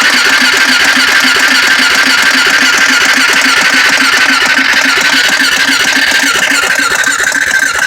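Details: Honda 400EX ATV cranked with throttle partly held: steady starter whir with even chugging pulses about three and a half per second that never catch; cranks but won't start.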